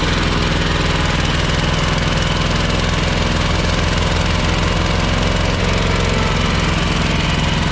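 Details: Ferris 52-inch walk-behind commercial hydro mower twin: a loud, lopsided chugging idle with smoke and low power, worse with the PTO engaged; running on one cylinder because a bad carb O-ring blocked a fuel jet.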